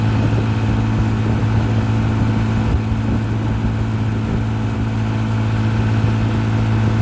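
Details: 1955 Johnson QD 16 10 hp outboard, after new condensers, carburetor kit, water pump and seals, pushing a 14 ft Blue Finn deep V at 13–14 mph: steady, even low drone holding smooth revs under load, no misses or knocks. Running healthy.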